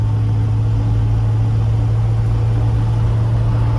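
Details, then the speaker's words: 1967 Chevelle with 283 V8 and Powerglide, idling in park: steady gear-type hum and whine over the V8, like a cam gear drive; Powerglide noisy only in park, quiet in neutral or gear; cause unconfirmed. "the only thing I don't like and I kind of remember is the power glide is so freaking noisy when it's in park andan when it's in neutral or any of the gears the power glide's quiet but when it's in park this thing sounds like it's got a Gear Drive on the cam it's just noisy"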